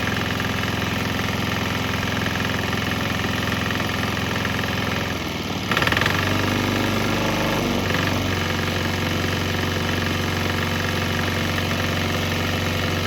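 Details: Swan X 165F Chinese single-cylinder diesel running on straight used canola (fryer) oil; steady idle thump with one brief surge mid-run, then settling back even; normal running.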